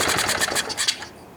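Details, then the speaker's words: Tecumseh OHH55-69069E engine, apparently new or lightly used, primer bulb petrified: a quick string of sharp pops dying after about a second, barely running; it will probably need a carburetor clean. "Well, it obviously works, but it'll probably need the carburetor clean."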